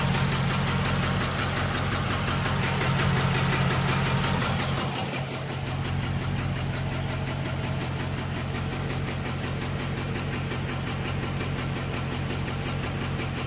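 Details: 6.1L SRT8 Hemi V8 with a random cylinder misfire. Uneven lumpy idle with an irregular stumble and a light tick about three per second; it idles and runs rough, and the cause is unknown.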